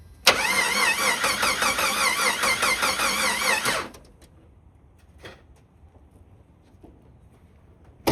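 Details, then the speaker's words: 1991 Jeep Wrangler 4.0L HO that sputtered out and won't restart; fuses fine, starter fluid did nothing, no spark: even cranking for about 3.5 s that never fires; no spark, crank position sensor being checked as the cause. "All right, so since the starter fluid did nothing and we checked the spark and there's no spark, now we need to figure out exactly why there's no spark."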